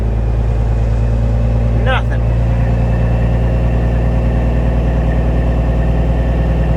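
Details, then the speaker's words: CAT C15 diesel truck, dead cold, after injector wiring harness work for an idle miss on cylinder three: deep, steady rumble with even beat, no miss, smooth even at higher rpm, low air buzzer sounding; normal smooth running. "it's actually running really smooth right now I mean you can barely hear it over the low air buzzer"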